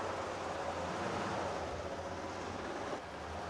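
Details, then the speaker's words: 1934 Ford Cabriolet under way: a steady low engine rumble, even and smooth with no knocks or ticks; the engine sounds perfect, though a clutch noise, suspected throwout bearing, is noticed afterward. "The big thing the car has going for it is the engine. It sounds perfect."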